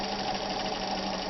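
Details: Freshly restored 1960s Kenmore 540 sewing machine straight-stitching denim: steady even mechanical whir with constant hum, no knocks or catches; normal running.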